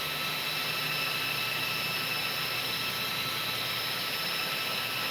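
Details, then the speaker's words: Game Changer RC cooling fan for an RC car, powered from a 3S 1300mAh Z-pack battery: steady high-pitched whir, clean constant whine, no rattle or wobble; fan running normally. "So right now what I can do is I can actually hook up this fan and let you hear what this thing sounds like. Holy smokes."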